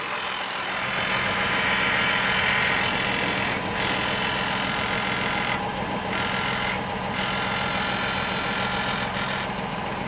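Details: 2020 Ford Explorer Police Interceptor Utility idling: light, loosely rhythmic rattle over a bright hiss from under the hood; also heard inside under load in gear; cause not identified.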